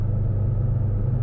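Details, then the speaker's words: 1984 Austin Mini, low mileage, SU HS4 carburettor, Lucas 45D distributor, cruising on motorway around 60–70 mph, 20+ miles in: deep steady rumble, no stumbles, no misfires or fuelling issues; running beautifully. "everything is going very, very well. She's running beautifully. No sign of any misfires, no sign of any fueling issues."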